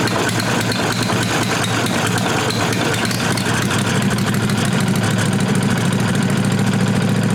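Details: 1998 Briggs & Stratton Vanguard 16HP horizontal-shaft V-twin (model 303447) after fitting a working used fuel pump (which sprays some fuel); even V-twin beat with busy exhaust bark through temporary exhaust, no knocks or misses. Normal running.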